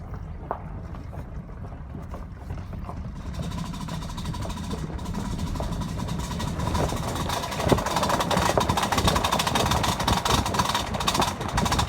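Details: Truck accelerating with a loud, loose, irregular metallic rattle from the driver's-side rear wheel; a rusty, broken parking brake shoe loose in the drum, with the parking brake pedal going to the floor; fixed by replacing both rear parking brake shoe sets.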